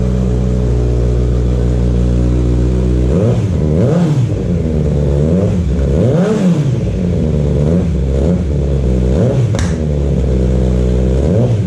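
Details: Kawasaki Z900 just fitted with an aftermarket CS Escapamentos exhaust: deep, loud, steady idle, then repeated throttle blips swooping up and falling back cleanly; healthy normal running.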